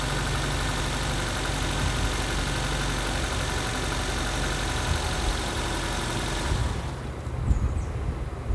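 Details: 2006 Nissan Sentra after fuel pump replacement for hard restarts: smooth even idle at 55 psi fuel pressure, no misses or ticks, then engine shut off; pressure held above 45 psi, repair successful.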